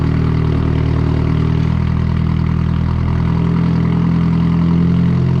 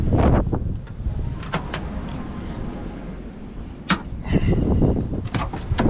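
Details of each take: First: Nissan 240SX S13 KA24DE turbo drift car warming up on a cold night after earlier misfire: low steady even idle with no stumbling or missed beats; running smoothly. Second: KA24DE turbo Nissan 240SX S13 drift car, cranking after adding 5 gallons to a nearly empty tank: ragged cranking with uneven sputtering catches that never settle; misfire, fuel pressure good, spark plugs fouled and wet.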